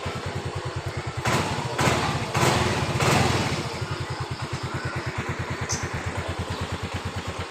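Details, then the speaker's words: Yamaha Mio Z (Mio M3 125) scooter after throttle body cleaning fixed stalling at low throttle and over speed bumps: steady, even idle with a few throttle blips, holding speed without dipping or dying; air setting may still need fine-tuning. "Udah nggak mati-mati mulu di polisi tidur, ngurangin gas juga. Tinggal mainkan setelan anginnya itu yang pas biar dia nggak mati-mati lagi ya. Loh, aman lur, nggak ada mati-mati lagi, nggak ada kendala."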